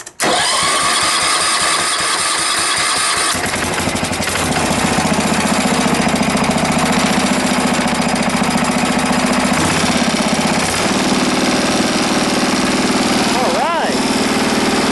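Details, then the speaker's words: Wheel Horse mower after carburettor removed, cleaned with carburettor cleaner and refitted, started before tuning: catches after a few cranks and settles into steady even single-cylinder beat, no misses; running normally. "Alright, we got the Wheel Horse up and running again."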